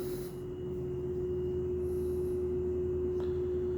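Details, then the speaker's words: Lloyd air conditioner under warranty, outdoor unit in a back corner outside beside the left room: steady mid-high hum with a faint higher overtone, likened to a train horn. The high-pitched hum persists after two service visits; cause unknown. "यहाँ पे भी हूँ सुनाई दे रही है, जैसे train का horn चल रहा हो।"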